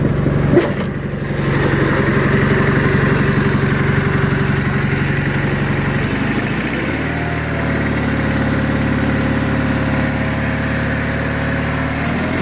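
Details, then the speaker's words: 1985 John Deere 318 garden tractor, running after three months in storage: it fires, runs fast and steady, then settles into an even, regular idle. The engine sounds healthy and good. "it's a pretty good sounding engine I like the sound of the p2 18 a little bit better though but that's just a personal preference"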